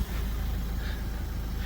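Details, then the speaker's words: Dacia Sandero Stepway 2 1.5 dCi diesel (K9K, start-stop), after cleaning a clogged in-tank fuel pump strainer and priming three times: low steady idle rumble, whistle/whine gone; the clogged strainer was the cause. "Звука практически не слышно. Звук сразу пропал. То есть проблема везжания свиста была в забитом памперсе."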